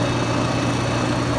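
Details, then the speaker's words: Home central air conditioner outdoor unit restarted after replacing the failed capacitor that had stopped the condenser fan: fan comes on and compressor kicks on, even steady hum with fan rush, no buzzing or clicking; running normally. "you see our fan comes on I heard the compressor kick on so we should be good to"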